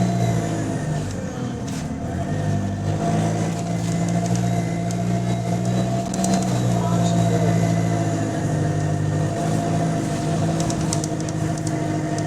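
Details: GAL SE152 diesel bus on route 386, pulling under load: a deep steady drone with a raspy, rapid puffing riding on it, which points to an exhaust leak.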